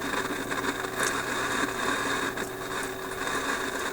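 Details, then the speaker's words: Philips 922 vacuum tube radio, after about an hour running with signal generator in background: fizzy crackling hash appears over faint tones and hum on all bands; intermittent noise, cause not yet found. "okay so I've had this radar running for about an hour and you can hear my signal generator in the background and this hash just showed up after about an hour"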